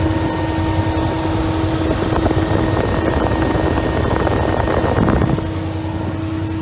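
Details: Can-Am Commander cooling fan, after replacing the OEM fan motor with an aftermarket Hayden unit, reassembling and bleeding the system with no leaks: steady whir over the engine that holds constant and stops cleanly. Normal fan operation.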